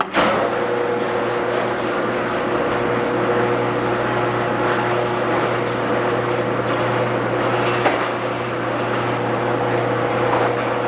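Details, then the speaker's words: Garage door opener after replacing all 12 metal rollers with nylon rollers: smooth run for about fourteen seconds with steady motor hum, then stops; quiet operation, massive improvement. "Well, that's a massive improvement for such a cheap and simple upgrade."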